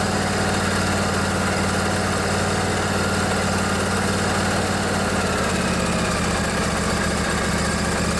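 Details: Craftsman DYS 4500 riding mower, 24 HP Briggs & Stratton Intek twin, after storage and a full service with the fuel tank cleaned and the carburetor refilled. Steady, even putter with a smooth low drone and no misses or knocks; running properly.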